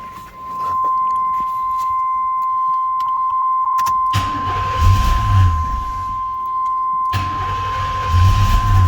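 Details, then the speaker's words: 1992 Trans Am, off the road for years, good oil pressure and charging, with an exhaust leak ahead of the catalytic converter: lumpy, stumbling idle with surges; severe misfire, seemingly on three cylinders, owner suspects fouled plugs or wrong firing order. "see it's got awesome oil pressure it's charging but you can hear it I think it's literally running on three cylinders it sounds terrible"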